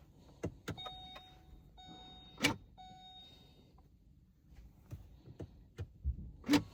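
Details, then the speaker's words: 2020 Vauxhall/Opel Corsa, electric handbrake stuck in pad-replacement service mode after a brake pad change (C1544 code in ABS ECU), left rear caliper cycled via diagnostic tool: short bursts of steady electric whirring between clicks; caliper motor operating normally, counter reset. "It's operating the caliper at the minute. So it's just done that and reset the counter."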